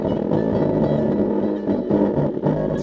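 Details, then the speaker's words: 2005-2013 C6 Corvette passenger lower door speaker, old blown unit: music sounds muffled and buzzy with bass rattling badly instead of thumping; replaced with new speaker. "all right so if you could hear that bass kind of rattling pretty bad that's because it's online"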